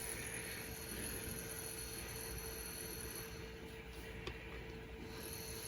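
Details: Phonotrix 88 portable reel-to-reel tape recorder in play after its gummed-up motor was freed; faint steady motor hum at one even pitch under soft hiss, tape transport turning normally.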